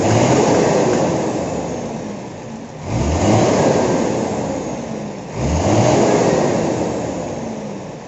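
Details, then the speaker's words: Hino truck diesel with an injection pump fault that dies at low RPM and lacks power at high RPM. Heard after the pump timing was raised from 11 to 13: three slow revs that still sound strained, muffled and held back. Cause not confirmed. "Tadi suaranya seperti masih tertahan"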